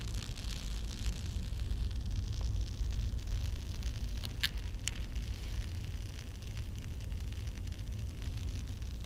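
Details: Vintage West German Grundig Majestic 3035 valve radio, power transformer disconnected but still shorted and smelling: low hum under faint crackling and sharp snaps; transformer suspected arcing internally, failed.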